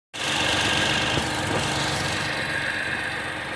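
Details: Tata Tiago XZ+ BSVI petrol, 2900 km on odometer, idling: loose, uneven knock roughly four a second under a hissy upper whir. Sudden engine knocking, cause unknown.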